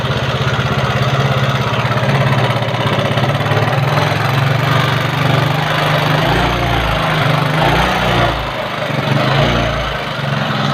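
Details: Carbureted Yamaha Mio scooter engine running with a coarse, uneven rattle over the low drone; the rough noise could come from the front, middle or rear of the engine or the CVT; cause not confirmed.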